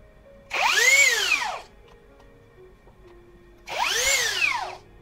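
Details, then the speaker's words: Low-budget brushless drill after shimming only the lower side of the stator: two short spin-ups with a whine under a harsh scratchy rasp; rotor still rubbing the stator, fix not yet successful. "masih ternyata belum berhasil jadi ini saya cabut lagi semuanya"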